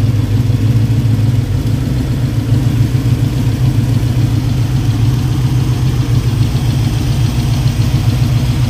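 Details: 1965 Mustang V8 started after installing braided nylon AN fuel lines and a fuel cooler, checking fittings for leaks: steady, even low idle rumble with no knock, tick or miss. Normal idle.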